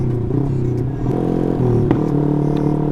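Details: Yamaha R15 V3 with aftermarket racing exhaust, stock lean O2 fuel setting before fitting Open Looper Pro: two sharp cracks over engine running; exhaust backfire popping.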